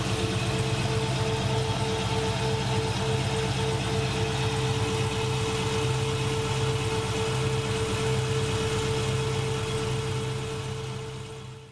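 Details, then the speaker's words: LS3 V8 swapped into a 1963 Nova wagon, about 10k miles on swap, idling with a steady hum and faint repeating stumble; misfire from dead cylinder number 7, reading about 70 degrees versus roughly 210 on others. "is still bit yeah it's completely dead it's 70 degrees which got to start tracing back on the system"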